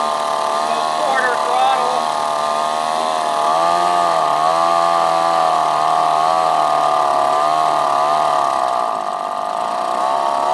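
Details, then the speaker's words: Outboard motor with newly installed carburetor, restarted on full choke: steady high buzz with slight wavering rise and fall, holding a fast even idle and running cleanly. "it seems to be running really good I'm just gonna try to try it fire it up here again I got like a little Idol that joke all the way on"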